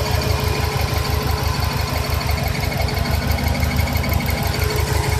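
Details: 2000 Subaru 2.5RS with WRX engine swap idling; intermittent rhythmic low thumping about three times a second with a faint steady tone, seemingly from under the top-mount intercooler; source unclear.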